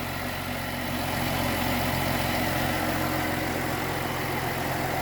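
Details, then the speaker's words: 2014 Jeep Cherokee after misfire diagnosis (codes P0301–P0306, permanent P0303 stored; #3 coil pack moved to cylinder 1): steady, even idle with a constant low hum and no stumbles or skips, running smoothly; check engine light later returned. "okay that wasn't reassuring sure runs pretty good runs pretty damn"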